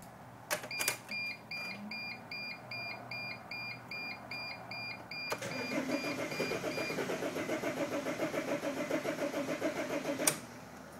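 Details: 2005 Dodge Sprinter: a few warning chimes, then about five seconds of steady starter cranking at roughly three beats a second, engine never catches; crank no start.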